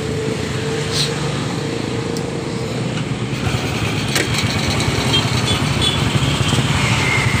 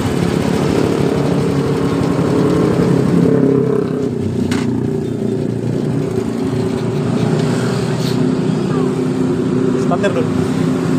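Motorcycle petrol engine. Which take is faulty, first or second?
first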